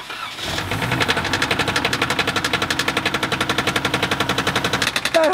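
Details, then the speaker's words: Flood-damaged 1AR-FE four-cylinder cranked after refitting the plugs and coils. Water is still present. Heavy, regular knocking about four per second is heard over the cranking: rod knock, and the engine is destroyed by water ingestion. "knocking noise here is rodnock the engines have been destroyed by water"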